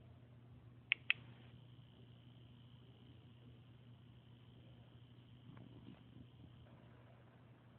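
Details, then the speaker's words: L'ange flat iron: two sharp switch clicks, then a faint, steady high-pitched buzz over a low hum while switched on; the buzz stops when it is switched off. "on, off. And when it's on, it buzzes."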